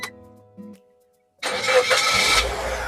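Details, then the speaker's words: 2008 Suzuki Neo Baleno 1.5 SX automatic, about 171,000 km, after checking engine oil and coolant: after faint radio music the starter catches almost instantly and the engine fires cleanly into a steady run, a healthy crisp start. "Oke, pastikan bahwa nyala mobilnya itu jreng."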